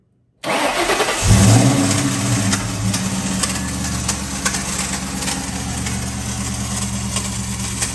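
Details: Ford Mustang Bullitt: the engine fires but a harsh grinding whir continues through the idle because the starter pinion is stuck and does not retract, dragging on the flywheel; the noise reverberates through the engine bay.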